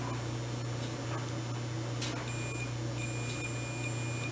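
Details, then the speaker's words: Volt-ohm meter set to diode/continuity to check for a short: thin high steady beep when the probes touch, over faint room hum; working properly. "but anyway it should tell me if there's a short come on yeah that's the reading you should get"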